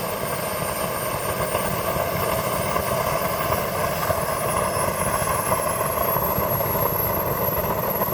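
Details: New LongRanger model helicopter Wren turbine at low throttle: steady roar with a rough, crackly sputter and a rising high whine; still spitting after restrictor replacement, fine once throttle is added; an expert found issues and it needs to go out for repair.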